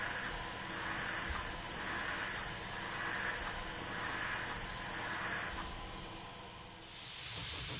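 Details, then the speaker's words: Model Stuart beam engine on compressed air, after repairs and valve timing correction, high-speed test run; fast, even rushing hiss of exhausting air with no knocks or rattles, spinning freely at speed. "one more highspeed run to make sure nothing drops off it and it doesn't so I'm going to leave it running to the end of the video"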